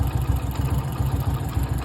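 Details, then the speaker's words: Splendor motorcycle idling: a deep, lumpy thump with a faint uneven clatter riding on the beat. A strange engine noise from one area that appeared recently; cause unknown. "Amigos, alguno que me ayude, es que mi moto tiene un ruido extraño en esta parte."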